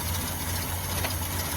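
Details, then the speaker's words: 2005 Ford Taurus after replacing the idle air control valve; idle briefly settled then went real rough again, low loping unsteady beat, no knock; owner concludes the valve was not the problem, cause not found. "oh smoke too soon now it's tiing real rough again so that's obviously not going to be my"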